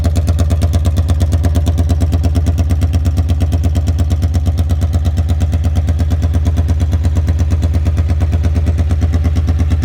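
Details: 1982 Honda Magna V45 VF750C, warmed up after an oil change, choke zip-tied open: loud, raw, steady unsilenced exhaust bark at fast idle with crisp regular pulses, running without a muffler, "loud as a banshee."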